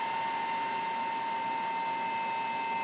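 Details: Silverstone 350W Flex ATX PSU stock fan: steady even whir with faint constant tone, no rattle or grinding; quiet fan running smoothly.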